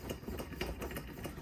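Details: 1968 Coleman 200A lantern, previously disassembled, pump test before a dry burn: quick rhythmic hand-pump strokes, each an even squeak and puff, no slipping or hiss; owner thought it might need oil, but pump works properly.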